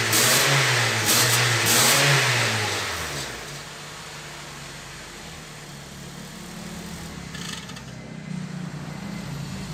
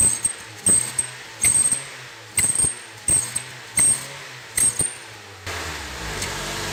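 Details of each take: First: Honda New Civic that whistled when accelerating, after exhaust work that fixed it: two quick revs settle back to quiet even idle with no whistle or hiss; normal revving. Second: Honda New Civic with an aftermarket sport exhaust tip: a thin high whistle on each throttle blip that fades as revs drop; it still whistled with the tip removed, so the original muffler with a flap valve is suspected.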